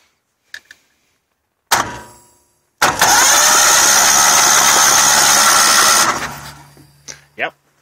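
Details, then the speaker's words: Kohler 25HP engine, previously seized on the piston rings, cranked by starter on a boost battery with plugs out and oil added: an even crank about three seconds, no knocks or scraping; turns freely on both sides, not blown. "cranks over both sides so she's definitely not blown I put some oil in the engine"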